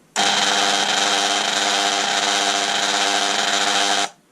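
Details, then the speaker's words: Bosch delta sander that makes a horrible noise, reassembled with the motor tested on live and neutral directly, bypassing the speed control: loud, harsh, rough whir holding steady at full speed; the fault is the worn motor, not the speed control. "and it's still terrible so the fa is the motor"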